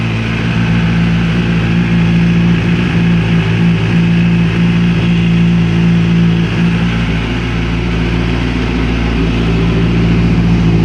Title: Engine Noise Kawasaki Ninja ZX6R 2005